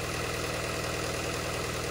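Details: 2018 Peugeot 3008 at idle; uneven, pulsing low-end chug instead of a smooth beat; injector number one reads higher (1.17) than the other three (about 0.78), with a cylinder one combustion fault code; rough idle from faulty injector.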